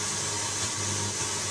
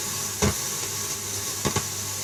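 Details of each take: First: Pioneer radio tuner after cleaning the crackly tuning control, no aerial connected. Even steady hiss, no crackles, pops or dropouts; contacts sound clean, though fix may not be permanent. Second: Pioneer radio tuner, crackly tuning control. Constant hiss with sharp pops and crackles while tuning, worse with no signal and at bottom end of band, none at top end; dirty or worn tuning control.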